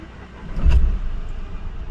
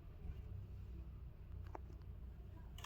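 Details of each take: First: Mahindra Bolero Neo diesel, previously knocking, misfiring and vibrating, now after rail pressure sensor work with the check engine light still on: cranks briefly and settles into a low, even idle with no knocking or vibration. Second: Mahindra Bolero Neo diesel with code P019385, rail pressure sensor circuit high: about four seconds of slow cranking, first attempt fails, catches on second; long cranking from faulty rail pressure sensor, also knocking, misfire, vibration.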